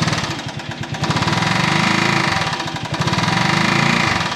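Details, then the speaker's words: Buggy project engine, warmed up and running better: harsh, rapid metallic rapping about four per second rises with throttle and is also heard at idle. Internal engine knock, source unconfirmed. "hört ihr das oh Mann das hört sich so gar nicht gut an ich versuche euch mal hier hinzustellen und dass H einfach mal mithört aber ich glaube man hört es auch im Leerlauf"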